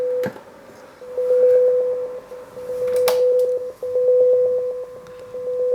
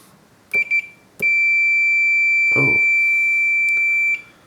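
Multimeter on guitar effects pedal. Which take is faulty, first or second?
second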